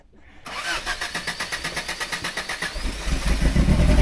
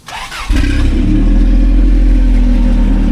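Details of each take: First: Toyota off-roader after stalling on an incline while wheeling, driver says it ran out of gas: starter cranks in a quick steady rhythm, about 3.5 beats a second, without catching; fuel starvation stall, brakes weak with engine dead. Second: Toyota off-roader with Dana 60 rear, 35-spline axles, rear spool, front locker, 5.86 gears: short crank, fires within half a second and holds a strong, even, deep idle with no misses; healthy start.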